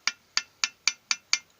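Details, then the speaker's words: IZh Jupiter 5 motorcycle engine stopped, piston lowered to bottom dead center and rocked by hand: six sharp metallic clicks, about four a second, piston knock despite a new piston run only 70–80 km. "опускаем поршень вниз и сумму чаем вот и стук porsche внизу витка стучит здесь"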